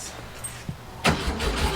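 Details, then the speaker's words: 1967 Volkswagen Fastback, battery charged and ignition module reinstalled: brief starter cranking after a quiet moment, no cough or firing; crank no-start with no spark, repeatedly burning out ignition modules. "all right she's not starting all right shoot a little bit of this in there and see if that helps least get to just cough"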